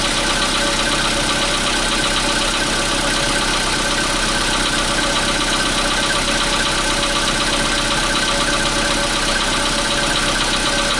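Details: 2015 Volkswagen Polo Sedan (CFNA engine), cold start at 0 °C air temperature: fast, uneven metallic tapping over steady engine hum at cold idle; cold-start knock of unclear origin.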